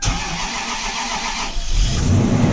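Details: 2006 Toyota Sequoia V8 at -15°F after sitting outside about 12 hours, cold start: brief crank, then it catches on the first try and settles into a strong, even fast idle; healthy, though with smelly exhaust.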